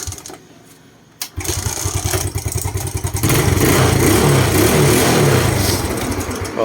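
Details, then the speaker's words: Suzuki Smash single-cylinder carbureted motorcycle, parked 2-3 months and stalling on throttle, after carburetor cleaned without removal: catches after a few cranks, settles into a steady beat, takes light throttle blips cleanly; runs normally. "เดี๋ยวสตาร์ทเล่นๆไปนะครับผมเดี๋ยวน้ำมันก็จะลงเองนะครับ"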